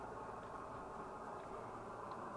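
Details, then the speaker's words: Swedish Optimus 8R camping stove heating up after the cap seal was replaced and it was cleaned out; steady, even rushing roar at full flame with no sputter or surging; the new seal holds, normal burner roar. "Oh, it's roaring. That's how it's supposed to sound. Big Dan, you're a genius. Look at that sucker roar."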